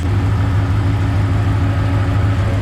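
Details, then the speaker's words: LS1 V8-swapped Nissan GU Patrol, first start after gearbox removal and rear main seal repair. Deep, even V8 rumble holding a steady idle with no stumbles, knocks or whine: normal idle. "started right up that's the genuine first start [Applause] idling beautiful but beautifully"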